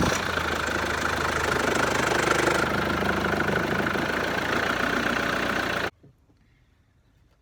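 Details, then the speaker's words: 2011 Vauxhall Antara, first service in five years, engine started before the oil change to warm up and circulate oil: catches and settles into a steady, even idle with no knocks or misses, then shuts off cleanly. "Okay, so we'll just crank it over, let the engine tick over, let it get up to operating temperature, let the oil circulate around the engine, and then we'll switch it off and let it cool down."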